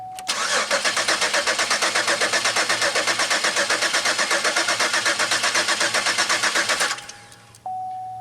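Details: Pontiac Aztek first start attempt after eight months sitting in pieces, engine reinstalled, fuel pump engaged and injectors heard resetting; starter cranks at an even four beats a second for about seven seconds, never catches: cranks but won't start, cause unconfirmed.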